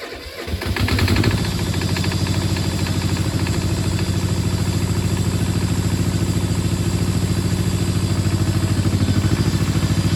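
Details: Power Pony with a two-cylinder Perkins diesel, started with glow plugs after bleeding the fuel system (suspected run dry): catches after brief cranking, settles into even, steady idle clatter without misses or knocks; normal idle.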